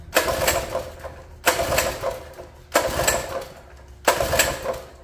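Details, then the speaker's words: Free mini bike small single-cylinder engine after sitting: four pull-cord yanks, each a short rattling spin that dies without firing; no-start because the carburetor float bowl was full of water. "well judging by that when I took the float Bowl off I think we might have just been full of water"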